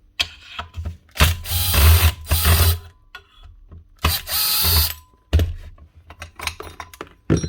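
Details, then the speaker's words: Makita 9609B 9-inch angle grinder, original open bearing (no shield or seal) spun by hand: gritty dry rasping in short bursts; rough, dry bearing with no grease, to be replaced. "this one's a we bit rough that one's very dry this is the original bearing as well no metal shield or Rubber seal on it completely open"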